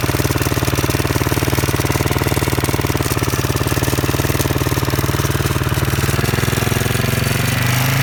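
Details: Husqvarna SM 610 single-cylinder with a Keihin FCR 41 carburetor, running. Loud, rapid, even thumping of about three beats a second over a steady run. The engine sounds odd; cause not identified.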